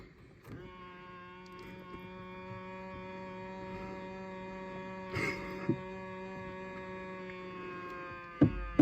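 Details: Power side mirror motor on a 2000 Ford Explorer: a steady buzzing hum at one pitch for several seconds while the mirror moves, then stops; an odd whine, cause unclear.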